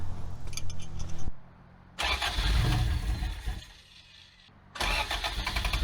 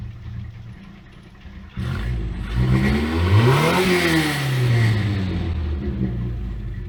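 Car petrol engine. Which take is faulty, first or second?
first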